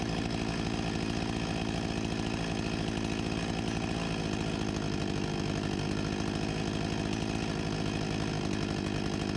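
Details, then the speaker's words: 1989 Husqvarna 254 G two-stroke chainsaw after carburetor refurbishment and new fuel line, revving 13,000+ rpm with no load: steady, even buzz holding constant speed with no surging or stumbling, running properly. "Sounds like a good speed right about here 13.000+ RPM with no load"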